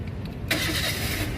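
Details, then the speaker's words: Toyota Avanza 1.3 G automatic 2013, about 146,000 km, used-car check start-up: short crank, engine catches instantly and settles to even idle; crisp start, so battery and starter seem fine, normal engine start. "Nah, pada saat kita nyalakan mobil, pastikan bahwa nyalanya itu jreng."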